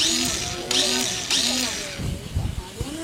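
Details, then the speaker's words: Yamaha Jupiter motorcycle with a new starter motor: short bursts of high whirring rising and falling in pitch, but the engine never turns over. Starter one-way clutch suspected stuck, damaged or badly refitted. "tapi merekilil Diar gak mau ya padahal dinamya baru bunyinya ser gitu aja"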